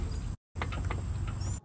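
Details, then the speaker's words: 2008 Yamaha YDRE G29 electric golf cart after transaxle brake repair and relubrication, driven a few minutes: low rolling rumble and faint high electric tone while stopping, no squeal or grinding; brake noise fixed. "drive the cart around for a few minutes to make sure everything was well lubricated and now you can hear there is no brake noise when stopping"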